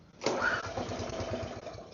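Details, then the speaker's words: Neglected mower with fresh fuel and carb cleaner in the system; the engine catches with a burst, then runs rough with uneven low thumps and fades as if to die; owner suspects fuel, carb cleaner or compression. "Oh, almost. Again, that could have been the carb cleaner in there. I don't know. It's all fresh fuel."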